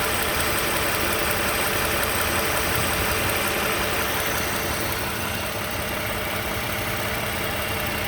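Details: 2015 Toyota Sienna SE, 71k miles, at idle: light regular ticking clatter near three per second, diesel-like; owner unsure of the cause of the engine rattle at idle.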